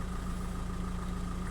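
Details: 2005 VW 2.0 TDI PD, BKD engine, no DPF, checked on measuring blocks: even, low diesel idle with a steady pulse and no misfire, rattle or roughness. EGR values match, with no leaks or blockages; the engine is healthy.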